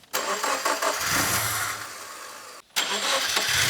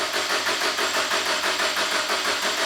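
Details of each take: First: Subaru with a freshly rebuilt STI EJ20 short block, first successful start after several failed tries: cranking, a brief stop, then it fires and settles into an even idle with a steady beat and no knocks. Oil pressure light goes out; sounds good. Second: Subaru with a freshly rebuilt STI EJ20 short block, first cranking with ignition disabled to prime oil: steady starter cranking at about six or seven pulses a second, no firing. Oil pressure not yet enough to put out the light.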